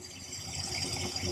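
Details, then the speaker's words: 1966 Plymouth Fury II, cold start after a spark plug was cleaned up: steady, even idle with a light, constant rattle; earlier misfire and shaking are gone and it runs on all cylinders, normal idle. "Cold start. It's not misfiring anymore. She feels like she's running perfect."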